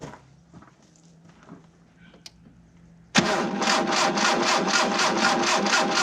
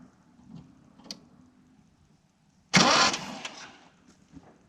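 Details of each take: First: 1987 Mitsubishi Sigma, 2.6 L Astron, low km, unrun about 20 years: steady even cranking about two turns a second for four seconds, no firing; no spark at test plug, Bosch distributor ignition module failed. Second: 1987 Mitsubishi Sigma, 2.6 L Astron, manual, very low km, unrun about 20 years, spark plugs out, bad varnish-smelling fuel found: starter gives a strong, even whirring spin-over with no knocks or binding; normal cranking.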